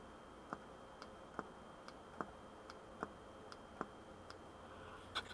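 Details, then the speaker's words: VW B5 Passat 1.8T EVAP purge valve, removed and pulsed 500 ms per pulse with a scan tool: sharp, even clicks about twice a second, switching normally; flow is in the arrow direction. "You can hear it, it's clicking nicely, and remember flow is in that direction, so you can just blow into it."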